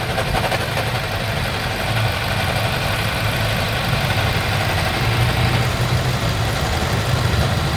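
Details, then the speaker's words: 2020 Toyota Innova 2.8 diesel (1GD) at idle: steady idle with a rough, gravelly rumble underneath that tracks the engine; diagnosed as a worn alternator bearing, to be confirmed with a stethoscope. "So ngayon iche-check natin mga boss kung tama yung ah diagnose natin dito na alternator bearing ang may problema ingay"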